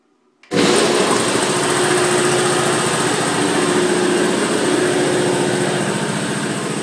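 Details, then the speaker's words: New Polar Air by Eaton two-stage 5 HP 80-gallon compressor (17 CFM at 175 PSI, rated 73 dBA), on pads, not bolted down: starts abruptly, then steady even pumping drone with no squeal or knock; very quiet, normal running. "it's still very very quiet and it's very well made and you can tell if you've ever been near one of those damn oiless you know hack job of a compressors that whine um this thing is uh thing sounds like a uh you know sounds like a Ferrari"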